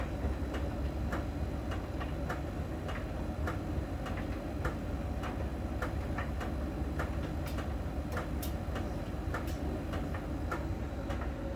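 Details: Miele dryer during drying: light, sharp, evenly spaced ticks roughly once a second over a low drum rumble. A small ball sensor rolls over the drum and ticks at a contact spot on its outer surface, as the Miele technician showed; this is normal.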